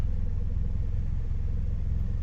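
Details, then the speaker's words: Toyota Corolla with M20A 2.0 engine and headers, just flashed with an AMT tune, idling un-revved in the first minute: low, even rumble with a steady beat and no surging; smoother than the fluctuating idle on the stock tune. "we'll go from there now one thing that i do notice is the idle is a lot smoother before with the original tune the stock tune it had a little bit of a fluctuation they would go up and down"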